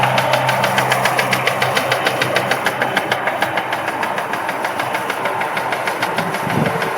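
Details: Mitsubishi 3000GT at idle: sharp even tick about three per second in time with the engine; rod bearings already replaced and within spec, owner suspects a collapsed lifter, unconfirmed.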